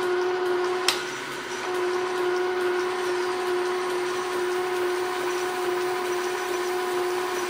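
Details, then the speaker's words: Logan lathe turning 7 in. round aluminum bar with the carriage locked, feeding in: steady mid-pitched ring over the cutting hiss with one sharp early tick; tool chatter, though it now cuts all the way through. "getting some chatter there but it's cutting all the way through now that I locked the carriage which is a good sign"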